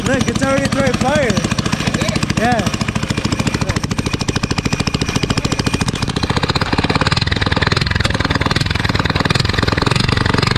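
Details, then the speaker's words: Drift go-kart engine first start after wheel hubs fitted: harsh loud open-port rattle about three pulses a second with sharp popping cracks; backfiring because it has no exhaust. "dude this thing is backfiring look huh well it's cuz it doesn't have it it doesn't have an exhaust"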